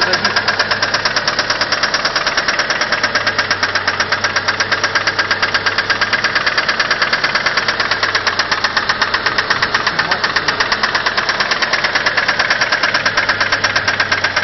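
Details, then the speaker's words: Mitsubishi 4G63 engine at idle: loud fast regular clacking from the cylinder head, about three per second, which began suddenly while idling in neutral at a traffic light; owner suspects hydraulic lifters, cause unconfirmed. "Не, ничего не поменялось. Прям долбит, сильный, ничего не изменилось."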